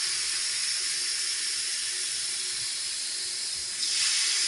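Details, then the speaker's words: Multistack chiller during preventive maintenance, after the strainers were pulled and refitted: a steady high-pitched air hiss from the strainer bleed valve, changing as water reaches the vent. This is normal bleeding. "okay now you open all the way there you go soon as you hear the hissing sound stop do for me"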